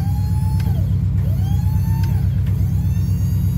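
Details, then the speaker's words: 1975 K20, still cold in freezing weather, raising and turning the plow: steady engine rumble with a thin whine that sags and recovers, unhappy on the right turn; hydraulic pump straining, owner suspects low fluid. "oh we got it to wiggle there it goes flow is up holy sh mookies it worked oh my Lord oh it's not happy with the right turn"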